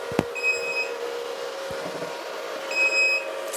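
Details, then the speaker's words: Antminer ASIC miner with red light on: two high half-second beeps about two seconds apart over faint hum; alarm because a connector is unplugged. "as you can see without the beeping sound the red light it means we don't have the connector here okay"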